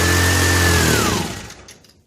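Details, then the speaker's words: 1965 Honda E300 generator just after spark was restored: it catches and runs rough for about a second, then sags and stops. Brief firing then stalls, possibly needs carb work. "Right. Got the spark. Far out. Now we gotta get it to run. Might need some carb work."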